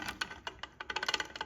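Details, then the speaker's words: Honda CT70 clone (Icebear Champion) swingarm rocked by hand: quick hollow clacks from play in worn rubber swingarm pivot bushings, bolt not tight; Delrin bushings planned as replacement. "That's play. So I'm sure that's contributing to some of our movement."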